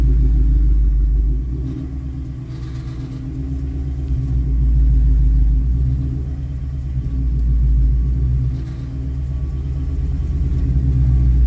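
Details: 2019 Mustang GT V8: deep rumble with a low buzzing rattle that swells on light throttle at low rpm, from a stop or holding low rpm uphill; caused by loose exhaust clamps, which were then tightened.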